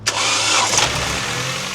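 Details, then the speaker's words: Ford Transit Connect camper van after misfire work, with a piece of ceramic apparently removed from cylinder 2: the engine fires with a quick flare, then settles into a smooth, even, healthy idle with no knocking. "And the noise did indeed magically disappear. That's better. It did magically fix itself."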